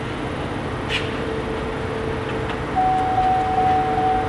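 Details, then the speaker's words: Chevy/GMC electronic brake control (ABS) module being programmed after replacing a blown fuse: a steady tone of about 750 Hz chirps late in the clip over low shop hum. Normal beeping indicating a good programming signal. "you hear the beeping in there that's a good set it's a good signal right there"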